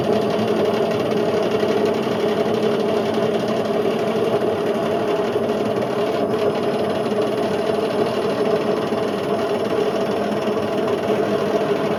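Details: Indesit IWC71453 UKN 7 kg washing machine found dumped, test spin aiming for 1400 rpm: loud, steady rumbling roar with a gritty hum through the spin. Drum bearings are completely gone and the drum is eating the plastic tub; owner suspects the heater is also cut.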